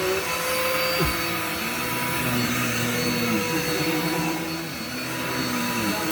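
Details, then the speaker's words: Dirt Devil vacuum with automatic height on very thick shag rug: motor whine drops sharply in pitch and wavers as it bogs down, brush bar dragging and overloading the motor. "This vacuum hates this rug. Why is that? It's a very thick shag tile rug."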